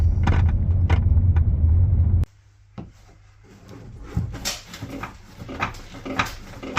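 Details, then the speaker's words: 2012 Volvo V50 D2 driving: hollow knocks over road rumble, then scattered dull clunks and thuds, like something loose; broken/worn suspension strut top mount, replaced as the fix. "okay so that's the sound which sounds like something's loose in the car like a clunky"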